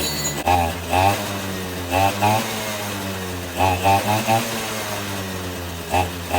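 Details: 2006 Suzuki Quadsport LT80 two-stroke, stored for years after stalling, previously seized, after carburetor cleaning (clogged needle valve suspected): small engine idling with steady low buzz, answering short throttle blips crisply and returning to idle; runs properly.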